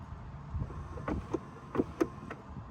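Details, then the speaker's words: 1991 Honda CRX wipers on intermittent after fitting a new wiper transmission: dull knocks and scrapes as a wiper arm strikes the cowl tray. "hear that take a look at that tray there making contact with the wiper tray there"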